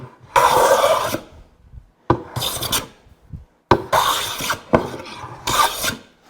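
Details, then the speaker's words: Hand plane on hardwood cutting-board stock after cross-grain ridges removed along the edge: five even rasping strokes about a second each with short pauses, plane now cutting end to end cleanly; normal full-length cut. "Now you can hear the difference. That plane cut was from end to end because I've gotten rid of the cross grain ridges along that edge."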